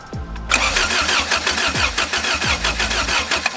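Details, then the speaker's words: Starter cranks with even pulses about three seconds but never fires; no spark, distributor igniter failure suspected. "stop good all right we still do not have spark so let me see apparently these h series uh distributors are known for the igniters going bad"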